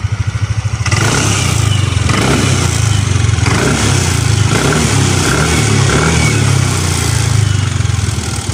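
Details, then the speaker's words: Second-hand scooter checked before buying, throttle revved: engine picks up cleanly on blips with steady pulsing drone, no knocks or rattles, quiet; engine judged good, normal revving. "wala naman, tahimik naman siya. So pagdating sa engine, goods na goods."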